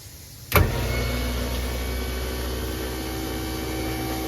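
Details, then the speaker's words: New American Standard garbage disposer under a Kohler sink, switched on via a surge protector: quiet, even whir from switch-on with no grinding or rattle; running normally. "pretty neat. It's very quiet. doesn't have that aggravating sound. It's kind of like this nice whirring sound."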